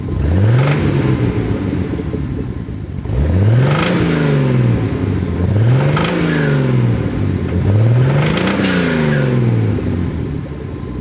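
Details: Nissan 280ZX Turbo with an L28ET turbo six, revs blipped repeatedly: a dull metallic knock riding under the revs, suspected rod knock.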